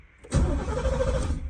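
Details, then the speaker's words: 1989 Camaro cold start in cold rainy weather, about 40–50°F, no exhaust fitted yet, after ignition switch repair; short starter whir, catches at once and holds a quick raised idle that later drops back down, normal cold-start fast idle. "um if she does idle kind of hide it whenever she first starts up but then she'll drop back down to where she needs to be"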